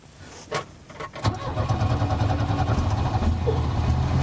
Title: Microsquirt misfire